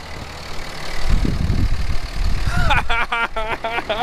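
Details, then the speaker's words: Salvaged Dodge Cummins diesel, first start after injector and cylinder work with codes cleared: steady, even idle with good oil pressure and no misses; the engine runs smooth. "good oil pressure good idol god lee listen to that baby purr oh yeah"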